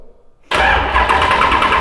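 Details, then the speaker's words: V8 engine in an S14 on its first start after build, fresh oil pan filled with high-zinc non-synthetic racing oil; cranking with fuel off to prime oil: starter spins engine at a steady rapid chug without catching, normal cranking. "turn just all the other ones on besides fuel, crank it, let it prime with oil."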